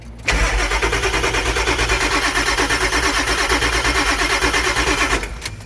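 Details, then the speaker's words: Cranking Ford E350 diesel cube van, tuner (Hydra) in anti-theft no-start mode: glow plug light stays off, steady starter cranking about three turns a second for five seconds, never catches. "so that's in no start mode the truck will not start no matter how long you crank it"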